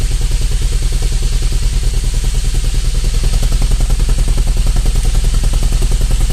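Loud low idle thumping about three pulses a second with a lumpy, uneven beat; this engine is idling rough.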